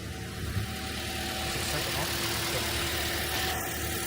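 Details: 2010 Toyota Corolla, 213,000 miles, back running after a no-start (battery replaced, alternator suspected): quiet, steady idle with an even note and no knocks or misses. Normal idle.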